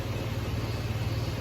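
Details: 2006 Toyota 4Runner, warm, after replacing corroded park/neutral switch and its connector that caused no-start when hot: steady even low idle, no misses, knocks or surging; normal idle.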